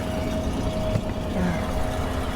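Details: 2014 GMC Sierra after fixing a no-crank from a bad high-speed powertrain CAN bus: steady low engine hum with an even idle and no transmission whine or clunk. Earlier transmission noise is gone, possibly a drained torque converter or pump.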